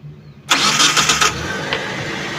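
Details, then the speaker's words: 2014 Mitsubishi T120SS 1.5 injection pickup, about 60,000 km, original: quick clean crank, engine catches at once and settles into a smooth even idle with no odd, rough or ticking noise; starter and battery healthy, normal start. "starter suaranya masih halus starternya juga masih oke enggak ada ciri-ciri kayak starter itu apa namanya ee bermasalah starternya Oke akinya juga masih cukup bagus suara langsam enggak ada suara yang janggal suaranya normal-normal aja masih halus enggak kasar enggak ngitik juga"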